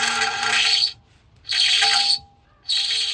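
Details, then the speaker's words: BMW E39 Touring after brake job, driving: high, piercing squeal in three bursts roughly every second; small stone lodged in the brake, removed, pad shows score lines but stops fine. "goodness what could that be that sounds terrible might just be that little guy right there"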